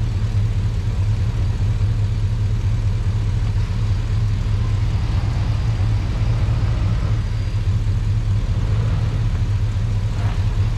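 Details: Truck after sitting a while, in cold weather: deep, steady V8 idle with no misses, knocks or ticks; a normal idle.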